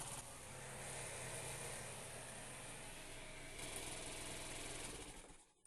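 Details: Chinese scooter with an AC-type switch (commutator), cold weather: the starter whirs steadily and the engine turns over but never catches before cranking stops; cranks but won't start on the starter from weak spark.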